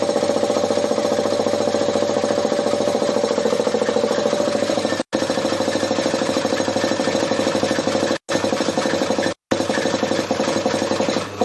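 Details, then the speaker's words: Converted Briggs & Stratton compressor pump driven by a larger replacement electric motor (previously half horsepower): rapid steady piston thumping over a hum, pace sagging near the end as it nearly stalls at almost 50 psi (three bar). "okay well it managed nearly 50 psi which is pretty good effort you could hear at the end though that nearly stalled out three bar nearly 50 psi"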